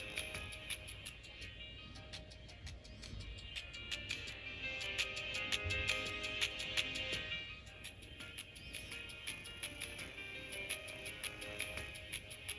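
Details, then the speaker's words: First-gen Apple AirPods Pro, right earbud playing music: choppy sound with sharp crackles at a steady pace over a buzzy tone, worse at high volume, not clogged; the speaker driver has failed and needs replacement. "very Buzzy it has this Buzzy sound where this one's nice and clear and loud so this one works really good this one's not working"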